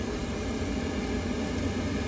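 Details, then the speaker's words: York rooftop unit right after a new draft inducer and ignition control board were installed: steady, even whoosh of the blower with no rattle or scrape. Normal draft inducer operation. "new board and then new draft inducer start it up see if it works all right our draft inducer started"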